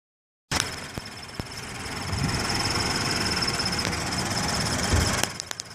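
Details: Subaru BRZ with a rough, lumpy idle: a thin high cricket-like chirp rides steadily over it with faint ticks about four per second; the source has not been pinned down.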